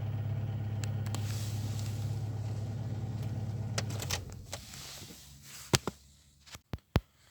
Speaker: Заводим машину. Чек у нас перестает тухнуть. Вот таких вот 1000 оборотов держит.